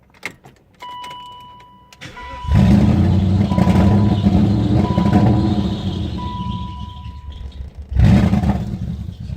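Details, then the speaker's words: 1997 BMW 540i E39 V8 with a replaced engine, cold start: lumpy, uneven running faltering then stalling, door chime ringing; codes P0300, P0304, P0307, P0308, P0111, P0116, P0443, P1385, no throttle reading even after TPS replacement; vacuum leak suspected. "all right everybody I got a 97 839 540 and it's giving me quite some troubles just replace the engine in it and every time you start it up sounds like this see it died up"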